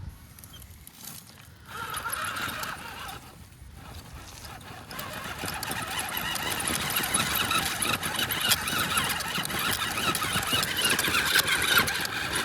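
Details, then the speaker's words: Wraith rock crawler after a run at the Gauntlet: high whine building as the drivetrain spins up, with fast rough chirping/grinding chatter from the front axle; owner first suspected chewed ring and pinion, now thinks possibly a chewed-up bearing. "It definitely sounds like it's coming from up front, which is not surprising. These axles are pretty notorious for chewing through some ring and pinion gears."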